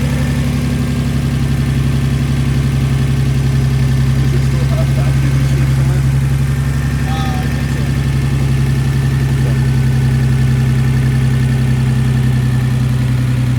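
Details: Hydraulic lifter tick on a Nissan 300ZX (Z32) Twin Turbo at steady idle: a light, quick ticking about three or four times a second riding over the engine note.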